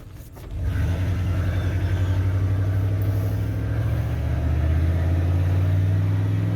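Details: 1988 OBS truck, warmed up, on a road drive after new ignition module, distributor cap and rotor to cure a misfire: pulls smoothly and evenly as revs climb, no misses, skips or pops; transmission slips slightly into third.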